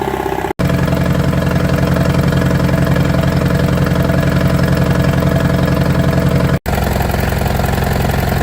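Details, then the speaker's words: 1959 International Harvester B275 diesel tractor, bought at auction and being revived: it has stopped smoking but idles noticeably fast, with loud, even beats; the idle speed is set too high and needs adjusting. "It's stopped smoking. Although it does idle fast. Um there there must be an adjustment for that somewhere."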